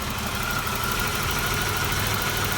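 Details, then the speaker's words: GM 3300 V6 Trofeo restarted after sitting over a year, oil dirty but not milky: steady idle with a light fast tick and no deep knock; the typical 3300 valvetrain tick, normal. "And the engine doesn't knock or anything like that. It's got the typical 3300 tick."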